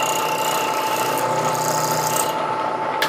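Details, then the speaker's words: Bridgeport mill with a 3/16 ballnose carbide endmill at about 1200 rpm drilling out a broken 1/4-20 tap: soft even cutting hiss, faint steady tone, light ticking, each thread heard coming down, no hard chatter; past the tap into parent metal. "Okay, so bringing it this way, I can hear that I can hear each thread coming down, and I can hear it sounds soft. So I'm into the parent metal. There's no more tap."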